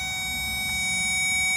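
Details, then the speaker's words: 2016 Lexus RX350 rear caliper parking brake motor, caliper removed and motor powered via power probe on its two prongs to retract the piston with a C-clamp during pad replacement; steady, high, thin electric whine at even pitch, normal operation. "Now you're going to power up the probe, and you can hear the motor making that sound."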